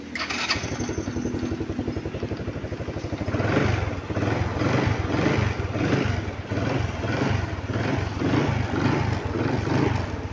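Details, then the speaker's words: Euro Keeway KW125 single, fixed after grounded-regulator no-start and dying with headlight on; in neutral with starter, signal lights and all electrics on, starter catches quickly into a steady, even putter and clean healthy idle. "So lahat pinagana ko na po siya starter bus na signal light So okay na rin yung andar ng ating makina"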